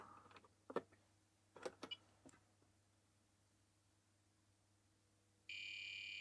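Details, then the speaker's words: C64C colour RAM repair: a few handling clicks, then a continuous high beep from the Retro Chip Tester Pro, flagging the suspected colour RAM chip as bad. "I like that sound I don't like it it's bad thank you retro chip tester Pro bad chip"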